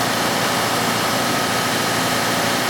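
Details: 2005 Cadillac STS V8 with a replacement engine, P0011/P0014 VVT fault fixed with old-engine parts; RPM raised during an intake cam phaser functional test at about 10% command; smooth, even running, no knocks or misses, responding cleanly.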